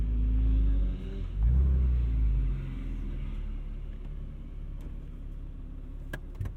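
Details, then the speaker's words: 1999 Porsche 911 Carrera 4 (996) at Tail of the Dragon, restart after stalling: low uneven rumble with revs surging and sagging; rough running after stall, could die again. "she's giving us some backfires yeah did you hear that i did and i feel it in my butt too come on stay running for me kid ah she died on me"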